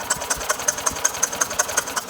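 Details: Older Yamaha golf cart, sat a couple of years, after key switch repair: starter spins engine in steady, even chuffing about five beats a second but it never fires; spark only appears when pedal released, no start.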